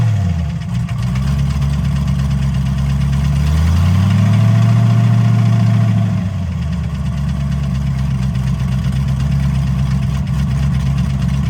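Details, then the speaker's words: Rod knock suspected on a nitrous-fed dyno car with freshly rebuilt engine, after dyno pulls: deep steady idle with faint regular light tick about three per second from the bottom end, heard kneeling beside the car; rod bearing suspected, not confirmed. "I knelt down beside the car and I hear tick tick tick tick tick taken put my head down there and all of a sudden it's like yeah that's rod bear"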